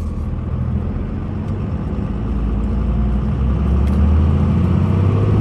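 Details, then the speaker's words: 2002 Dodge Ram 2500 4x4 with 5.9 Cummins diesel, six-speed manual, 113,000 miles, driving uphill through all gears: deep diesel rumble builds smoothly with no knocks, whines or grinding; engine and gearbox sound healthy. "we'll take off and we'll head up the hill so we can have a five nine run as well as put the six speed through all the gears so you can hear for yourself how there is no issues with anything on this truck at all"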